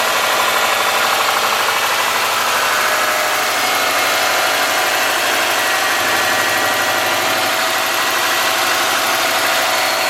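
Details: '03 Subaru Forester, 178k miles, ~150 miles after head repair for a dropped valve guide, hissy cold idle: light quick ticking about three a second, driver-side front exhaust valve clearance .029 vs about .010; adjusting removed it.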